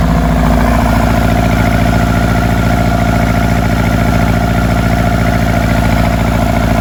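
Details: Elan being readied for first test drive after brake repairs, engine running after earlier flooding; strong, even low idle around ninety beats per minute, no misfires or rattles: normal idle.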